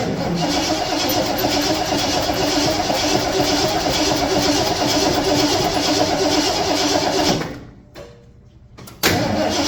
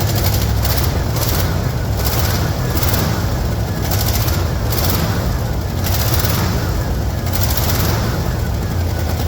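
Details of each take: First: 1974 Ford F-250 farm truck with a newly fitted battery: steady starter churning at about four beats a second that never catches, a pause, then more cranking; crank no start. Said to be tuned up, so lack of fuel is suspected but unconfirmed. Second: 1974 Ford F-250 farm truck V8 started after sitting a couple of years, firing after 10-15 pedal pumps: deep, even, strong rumble with no miss or knock; normal running.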